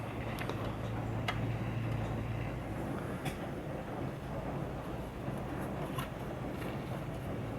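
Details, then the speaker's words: 1940 Emerson DB-301 AA5 tube radio, first power-up after replacing the across-the-line capacitor, original electrolytics untested, no antenna: steady low hum with random sharp crackles and pops from the speaker; cause not yet found. "I got it plugged in tubes lighting up some crackling from the"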